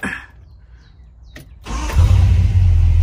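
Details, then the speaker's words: Engine restarting after new ignition points in the distributor, timing marks lined up, before warm-up and dwell setting: brief crank, catches cleanly, steady even low rumble without misfire. Normal engine start. "okay yeah that's perfect so let her warm up we'll come back make sure the timing's on and then set the dwell"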